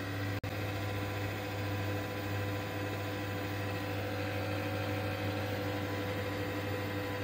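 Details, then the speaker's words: Desktop PC just switched on after cleaning dust from the CPU fan with a hair dryer: steady, loud drone with a low hum and fixed tones; loud fan noise at startup, said to quiet in 1 to 1.5 minutes. "आप लोग 1 से 1.5 minute के बाद CPU से इस तरह का आवाज़ आना बंद हो जाएगा और नॉर्मल हो जाएगा दोस्तों सीपीयू का आवाज़।"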